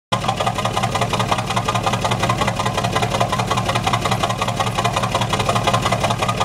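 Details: Truck at idle: uneven, stumbling exhaust beat with a regular skip about twice a second, typical of one cylinder misfiring.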